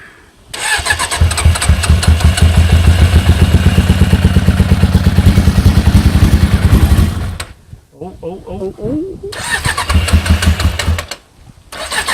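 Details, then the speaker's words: Suzuki GSX 600 project bike first run after new switch fitted: engine runs rough and lumpy, about three and a half uneven beats a second, then stumbles, possibly misfiring; some smoke attributed to WD-40 and loose exhaust manifold bolts. "so she van gock she sounds brutal she was smoking a bit but I think that's because of the wd-40 from the manifolds"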